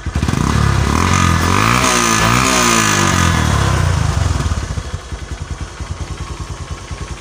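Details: Honda Megapro monoshock single-cylinder motorcycle after spark plug gap set and a 1.5 µF/400 V capacitor fitted: starts promptly, revs up and down cleanly, settles to an even steady idle with no clatter or misfire; healthy.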